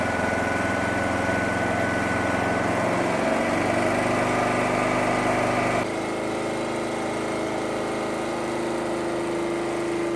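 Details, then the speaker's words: Petrol generator unused about 5 years, converted to propane fed where petrol entered, choke off, speed set by bottle valve: steady hum, then speed drops slightly and settles to an even tone; runs smoothly on gas. "That generator hasn't run for about 5 years. So what you have to do now is you have to gently regulate it on the bottle to adjust the speed"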